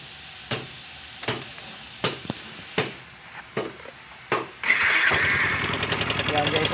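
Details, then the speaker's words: Yamaha Mio Soul i 125S scooter, nearly four years old, cold first start in the morning: slow cranking then quick metallic ticking over the idle, noise that fades once warm; crankshaft bearing knock. "naririnig nio yan Ang ingay niya yan kaya ngayon bubuksan natin siya titingnan natin kung ano yung Trouble niya"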